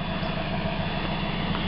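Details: 1991 Mazda Miata after a new catalytic converter was fitted: steady, even low idle with a smooth exhaust note and no knocks, rattles or misses; sounds much better, power restored.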